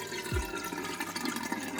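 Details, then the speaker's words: A reef aquarium overflow drain makes irregular gurgling and glugging with a short sucking slurp as it pulls air. This is most likely caused by the overflow box water level being set incorrectly. "The first obvious source of unpleasant sounds on my aquarium is the overflow. It can cause problems ranging from a minor trickle to unbearable gurgling."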